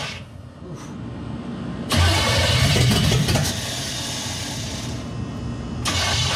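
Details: 1963 Chevy C10 with 355ci (350 bored .030 over) V8 and Turbo 350, unrun for years: starter turns the engine briskly, it catches for a moment then dies; carburettor starved by failed mechanical fuel pump, later replaced.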